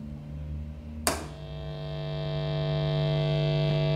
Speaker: as you can hear it's quite noisy um when we switch it on the amp is 50 odd years old so we allow amps like this things like that they're allowed to do that